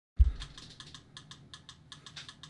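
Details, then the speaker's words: ANENG V05B multimeter in auto mode: rapid irregular dry relay clicks, about six a second, as it autoranges during voltage measurement. "now this is one of the interesting issues with this meter you can hear that relay clicking that is um going to be happening a lot when you're in auto mode"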